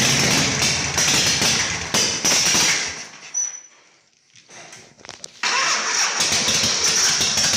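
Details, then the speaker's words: Harley Shovelhead chopper V-twin after new battery, solenoid rewiring and ground fix, engine hot during carb adjustment; loose irregular lope with uneven firing and a midway stumble before recovering; owner suspects it needs jetting: rough running. "does it sound like it's getting any better no maybe it just needs to be jetted i don't know it's just adjusted"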